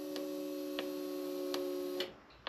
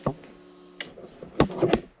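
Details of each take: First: Buggy rebuild with fuel pressure about 50–55 psi after replacing a 10 amp fuse, starter previously tripping the system; a few sharp uneven clicks and brief buzz, engine never turns: starter no-crank with clicking, later traced to a relay found out. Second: Off-road buggy being rebuilt, key turned on: steady low hum for under a second then a clean stop; electric fuel pump priming normally, giving about 50–55 psi fuel pressure.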